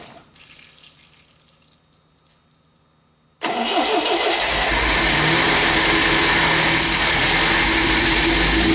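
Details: MGB GT first start attempt after head gasket replacement, valves ground and electronic ignition fitted: steady rhythmic cranking near four beats a second that never fires; engine turns over but won't start, cause not confirmed.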